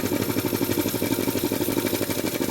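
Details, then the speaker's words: Jenny K-style pump 2 hp air compressor at about 50 psi trying to unload: rapid machine-gun stutter, about ten pulses a second, over the running pump; debris from oil backflow clogging the pilot valve filters prevents head unloading, short cycling, failed pilot valve. "Okay, now the machine's actually trying to unload the head, but due to debris trapped in the pilot valve, it's not allowing the head to unload. We call this short cycling. Kind of sounds like a machine gun."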